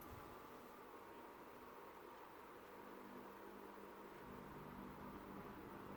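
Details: Mid-1970s first-generation Lasko (Galaxy) 3150 12-inch desk fan, oiled, started with the oscillator engaged, then stepping up to medium. A quiet, steady airy hum rises slightly, smooth with no rattle or ticking: normal running.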